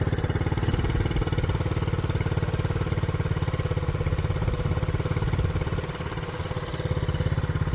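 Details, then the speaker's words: 1967 Honda CT-90, about 2,700 miles, idle turned up slightly, in neutral before a test ride: even, steady putter at low idle with regular pulses, no knocks, misses or rattles; healthy warm idle. "Alright, this is running really good."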